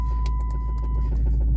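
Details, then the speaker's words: Lowered Dodge Charger SRT8 after hitting a dip in the road: a deep engine rumble with irregular sharp metallic clatter and ringing from a loose exhaust pipe slapping the underbody. "yeah that's crazy man that ring noise it's all right we going to get it fixed though it is definitely the pipe the pipe is super loose again"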